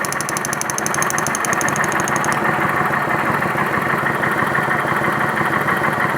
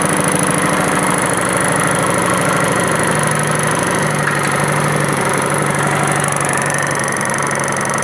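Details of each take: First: 2011 Kawasaki Vulcan 900 V-twin after a deafening knock was traced to the pulley and fixed: even, steady idle with a smooth beat and no knock or rattle; the noise is gone. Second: 2011 Kawasaki Vulcan 900 at idle: light irregular knocking over the twin's beat, traced to the pulley cover area; noise persisted after checking valve cover and starter clutch.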